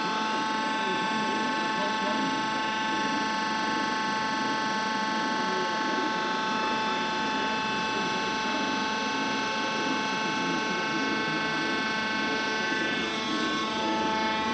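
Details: Worm screen centrifuge test run after repair of bad vibration: the worn main drive bearing diameter was machined and sleeved and the main drive and gearbox bearings were replaced. It gives a steady, even hum with constant tones and no knocking or grinding, running smoothly.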